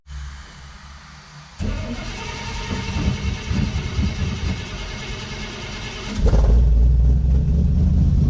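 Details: 1955 Chevy pickup V8: quiet cranking, then it catches at about six seconds and settles into a loud, steady low rumble; starts and runs normally.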